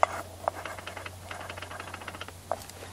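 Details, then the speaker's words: Holzfforma G660 Pro chainsaw (Stihl 066/MS660 clone), clutch hub being fitted: a few crisp light clicks as it goes in, then a faint metallic ting as it rocks back and forth, showing the hub is seated correctly. "you can hear that little click uh as it went in there and then it kind of Tings back and forth that that's how you know you've got your uh Hub on there correctly"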